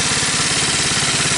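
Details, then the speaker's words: 79cc four-stroke engine swapped into a 50cc ATV frame, run from an IV-bottle fuel supply: fires on choke and settles into a quick, even putter with no misses or knocks; running normally. "Piece of crap actually runs."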